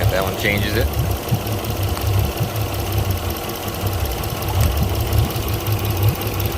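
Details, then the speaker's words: Port Yamaha outboard on a 385 Pursuit: deep, lumpy idle with an uneven low thump during the coil-pull test, which pinpoints the bottom cylinder as dead; spark plug and coil to be checked. "all right there we go bottom cylinder on the port side not doing anything"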